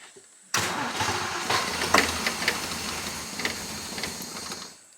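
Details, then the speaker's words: Old petrol engine that has never wanted to cold start, started with starting fluid (laughing gas) and choke: long, ragged cranking that catches and sputters unevenly for about four seconds; hard cold start. "now she has never wanted to cold start she is just about as bad as the jaguar"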